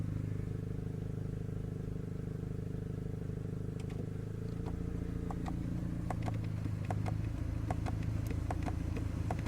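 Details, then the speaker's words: Volkswagen Passat B6 Climatronic with no air from the vents: blower running with a dry, uneven clicking about twice a second behind the dash as the flap actuator motor tries to open recirculate. Blend door actuator clicking. "That's that motor right there. I can feel it. Click, click, click, click, click, click. It's trying to open this to turn the recirculate on."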